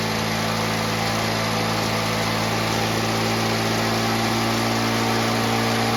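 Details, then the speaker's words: Victa two-stroke mower engine built from junk parts, started first pull: steady high-pitched buzz at even speed with no misses or surging; sounds like a really healthy engine, normal running. "fantastic sounds like a really healthy engine so we've got the Frank Frankenstein coming along really nicely"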